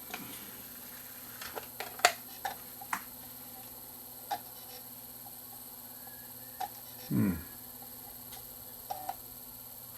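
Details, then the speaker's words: Sony BDP-S350 Blu-ray player, Blu-ray disc inserted after a DVD read fine on the red laser: faint irregular ticks and a short whir as it hunts, refuses the disc and falls back to the red laser; focusing issue suspected. "still refusing this disc and it's trying to go to the red laser so it's got to be a focusing issue"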